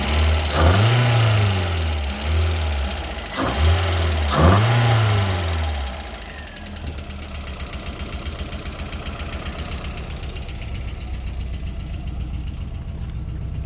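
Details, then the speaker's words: Volkswagen Golf Mk1 with first-time home-rebuilt engine, just started, warming up from cold: quick light ticking about four per second over low hum, easing as it warms; alternator belt also loose; tappet noise during warm-up. "Now I'm just gonna let the car warm up and hope that when the car gets to temperature, the tapping noise will be gone."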